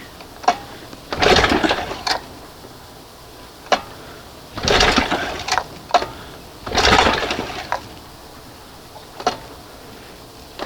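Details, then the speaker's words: 1971 Johnson 20 hp outboard running on cylinder two alone: scattered uneven pops with long gaps, barely running; misfire, failing condenser suspected as on the other cylinder. "No, I've lost two. It's just like what happened the last time and I was testing the spark and it would and fade out and it would come back and fade out."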